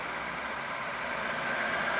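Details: 2018 Ford F-150 V8 (port plus direct injection), 67k miles, with a reported rough-idle misfire and injector code P21CF: here a smooth, even idle with a steady hiss and no stumbles, misses or ticking, and no injector errors in the data. Sounds healthy.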